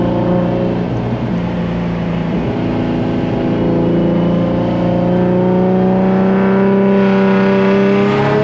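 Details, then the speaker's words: Turbo Z on a small street tune with a boost drop issue, full-throttle pull: engine note climbs steadily in a smooth even drone without the usual wastegate sound, as the wastegates are not opening. "it just doesn't sound the same bro with the waistcoat's not opening it's it's not the same"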